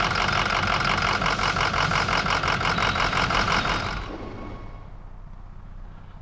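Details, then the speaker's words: 2005 Ford F-250 with a 6.0L Power Stroke V8 diesel: it cranks for about four seconds before catching, then settles into a slightly uneven idle. This confirms the complaint of hard starting and rough running. "Bueno, como podrán ver, la dificultad de arranque es definitivamente una realidad y la marcha en vacío es ligeramente desigual."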